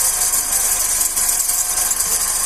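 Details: 2008–2009 G5 with a phone held by the timing belt area: a constant high-pitched hiss and rattle over a steady idle, pointing to a worn bearing in the belt idler pulley.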